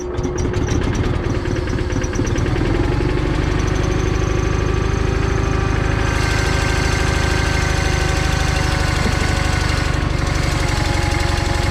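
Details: John Deere 318 hydraulic-equipped lawn tractor, after a stall and no-start traced to a safety switch stopping it cranking: twin-cylinder engine runs steadily with an even low thrum, no misses or knocks; normal running.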